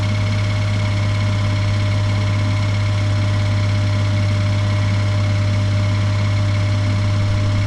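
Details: 2018 Suzuki Every Wagon DA17W type 2, R06A three-cylinder, 55,000 km, oil changed every 3,000 km: steady low idle drone with a faint, uneven knock riding on it; abnormal engine noise, cause not yet pinned down.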